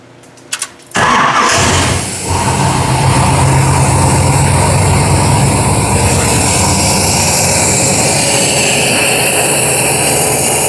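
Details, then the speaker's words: 1970s Camaro with an upgraded engine, FiTech throttle-body fuel injection and no catalytic converters, after fixing a fuel pump circuit that caused a no-start: short crank, fires at once, steady, even idle with no misses. "Wonder what happens when we snap the throttle. You can sure tell this thing doesn't have catalytic converters."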